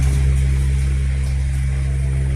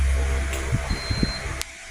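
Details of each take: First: 12 V DC brushless electric fan motor after AC-to-DC conversion and bushing-to-bearing replacement: steady smooth low hum with no scraping, ticking or rattle; the noise is gone, running normally. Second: 12 V DC brushless electric fan motor after AC-to-DC conversion, test run before assembly: low hum with uneven scraping, rattly bursts; worn bushing running metal to metal, to be replaced with a bearing.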